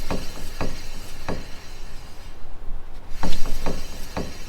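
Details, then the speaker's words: Wheel hub/rotor spun by hand: sharp, uneven clicks about one every half second; owner suspects a bad ball in the wheel bearing, not confirmed. "So, I definitely need to like take it out and see what's clicking. It could be a bad ball in the wheel bearing or something"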